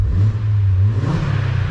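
Smooth rise and fall in engine pitch through a quick blip with no tick or knock riding on it; a clean, healthy rev.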